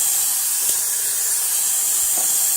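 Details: Condor air compressor running: steady sharp hiss with no rhythm throughout, an air leak suspected at the pressure switch.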